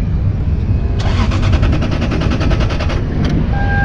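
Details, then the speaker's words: Car off the road for two years, on a jump pack, with no dash lights or radio. The starter churns steadily at about six or seven even beats a second for two seconds and never catches: cranks fine but won't start. "all right she's got got juice oh boy hey huh nope no start cranks sounds good"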